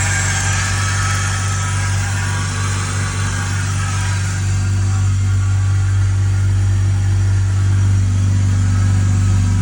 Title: 330 Ci E46 cold start whining noise